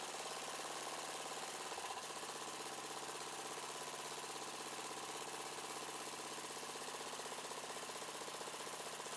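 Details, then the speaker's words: Yard-sale Murray 42" Wide Body mower engine, choke now closing after a broken plastic nub hitting the air cleaner box was found. Idle speed set near stall and mixture screw turned in until rough. Quiet idle with a slightly uneven, wandering beat while being set; uneven idle. "all right basically I pulled the I the idle out to the throttle started to drop down to a point that it's going to stall or close to it and then this is your air fuel mix off the bat and basically I just turn that in until it starts to idle really rough or starts to lose idle"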